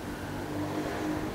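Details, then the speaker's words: Polytron single-tub washing machine, previously humming when plugged in, after capacitor replacement, fan belt removed for testing: steady, even spin motor hum with no knocking, buzzing or rubbing; spin motor running normally after repair. "spinnya udah jalan Spin kemudian bagian bawah juga bergerak bisa itu sudah terdengar suaranya"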